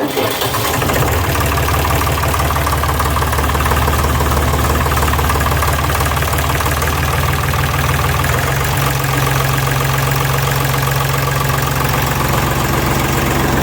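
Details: Deutz Fahr D4506 air-cooled diesel tractor test run on a cold morning after replacing the cogged V-belt driving alternator and cooling blower: steady clatter and blower hum, settling to a slightly different speed partway through; healthy, normal idle.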